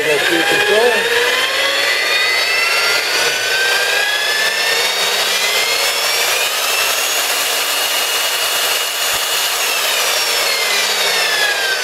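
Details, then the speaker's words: Milwaukee 4208-1 electromagnetic drill press, apparently unused, run in reverse on variable speed control: smooth high motor whine sweeps up and down in pitch as speed varies, with no knocking or grinding. Normal running. "We'll go in the opposite direction. Again,"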